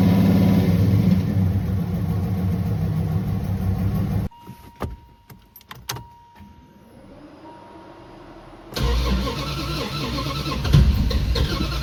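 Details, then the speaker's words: Turbo Dodge Diplomat engine after 1.6 ratio Harland Sharp rockers and new pushrods: a rough idle with a dull tapping, about four per second, before and after a restart. Oil pressure is poor and the cranking gallops; the owner suspects a rod knock. "And unfortunately, it kind of sounds like a rod knock, especially when I give it some throttle and then let off and get a tap, tap, tap."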